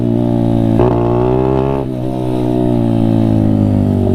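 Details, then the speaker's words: Honda CRF50 at full throttle on the road. A high buzz that drops out and stumbles twice, no clean climb; no power up high, where it used to reach 42. Rider is unsure whether it needs more or less fuel. "No power up high. Yeah, just totally breaking up. I used to get to 42. Totally breaking up."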